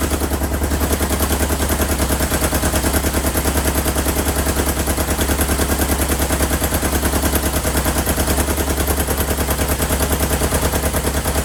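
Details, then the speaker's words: 1977 Kawasaki KZ650 B1 four-cylinder running without its airbox, carbs not yet synced. Loud, lumpy, uneven exhaust chuffs of about three per second with a hollow beat; the owner suspects a cylinder isn't firing, with one exhaust pipe warm. "hopefully get these carbs synced but it sounds like a cylinder isn't firing yes this this pipe is warm"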